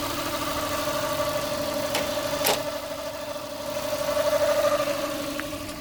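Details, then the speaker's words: Mazda 323F after the diagnostic ten-port ground was disconnected during a base-idle reset attempt: a low, steady idle of about 600 rpm with no stumbling; idle speed sounds right. "that's about where it was before I disconnected it yeah that sounds about right about 600 revs"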